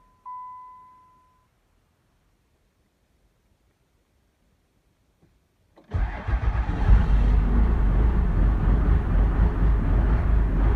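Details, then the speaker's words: 360k-mile Cummins 12-valve diesel in a Michigan shop on a snowy day of about 30°F, restarted after a fuel filter change and priming; cranks and catches into a lumpy, uneven idle, which the owner puts down to air pushed through the fuel system. "running a little bit rough but it's that air pushed out of the system I think we'll be okay"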